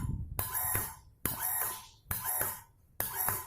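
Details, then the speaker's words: Water booster pump fed from a tank, cycling on and off in short bursts while its automatic pressure switch is adjusted: a sharp squealing tone over the motor hum each cycle, because this pump is already damaged. "Ya tidak enak kan? Ini karena ini sudah rusak ini."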